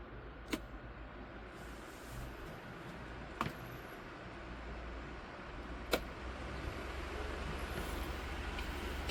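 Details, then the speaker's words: Lasko 2501 12-inch desk fan after cleaning and motor replacement: soft steady hum with switch clicks, the hum stepping up after the last click as speed rises; runs smoothly at each speed, normal running. "Yeah, that's really whipping the air now."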